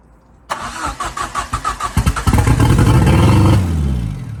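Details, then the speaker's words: Ford Fiesta RS Turbo, first run in over four years after restoration: cranks, catches, runs with loud uneven puffing about three times a second; exhaust manifold not tightened and downpipe loosely hanging. Exhaust manifold leak. "wooo we happy dance the manold um is not tight the down is hanging on but yeah I'll take that baby"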